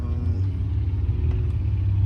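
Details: 2010 Mercedes C300 with code P0306, cylinder six misfire from the ignition coil: deep, slightly uneven, loping idle rumble.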